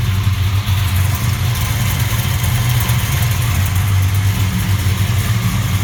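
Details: 1967 Chevelle SS with 416 LSX V8, temporary 2008 Escalade plug wire installed: uneven loping idle with irregular exhaust stumbles, a misfire on cylinder #5 blamed on an aftermarket plug wire burned on the headers.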